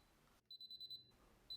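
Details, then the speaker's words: 15-year-old Miele dishwasher intake/drain fault alarm: shrill high beeps in bursts of five or six pips, pause, repeat; no water coming in once started, fixed by replacing the failed water inlet valve. "my 15 years old miele dishwasher keep alarming with the intake drain arrow no water coming once gets started"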